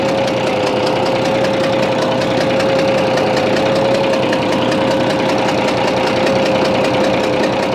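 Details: Bizon A-01 diesel at idle: rough, irregular snorting knock over a constant whine; it reacts to loosening the third injector's high-pressure line, and the owner suspects the first head needs removing, cause unconfirmed.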